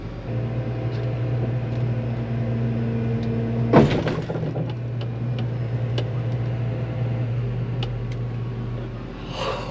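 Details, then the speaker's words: Combine creeping along while harvesting, listened to alongside: steady low drone then one sharp loud pop near four seconds; a bearing that got hot, expanded and may now be seized is suspected. "Oh, that was a loud pop. Okay. We'll be cutting it off."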